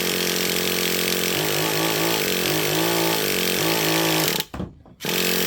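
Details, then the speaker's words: Traxxas Revo 3.3 nitro engine with high-speed needle set too rich; wavering burble that never cleans up, heavy smoke, cuts out at wide-open throttle and stalls, may not restart. "May not even fire up for me. Well, Prime example of what can happen when you're too rich on your high-speed needle."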